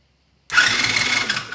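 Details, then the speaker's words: TaoTao ATA110 110cc engine on the bench, new starter powered straight from a 12V battery. A quick high whir turns the engine over briskly with no grinding, so the starter works; the compression test that followed read zero. "and now by taking a ground wire when we strike the new starter we put on we should get the turnover"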